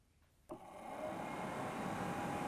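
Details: Heater blower motor in a restored 1960–64 Ford Galaxie heater box with new heater core and seals, bench-tested after reassembly: kicks on, spins up smoothly within a second to an even, steady whir, clean hum, no rubbing, good airflow; normal blower operation.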